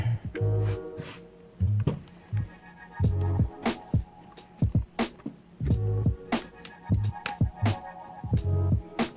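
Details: MacBook Pro with no power: three short evenly spaced beeps on power-up over background music, signalling a memory (RAM) fault; reseating RAM did not fix it.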